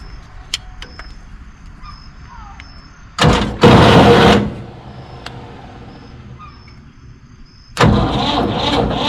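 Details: Ford tractor bought at auction, battery just refitted: a brief crank, then the engine fires straight up and settles into a steady idle; starts easily and runs fine.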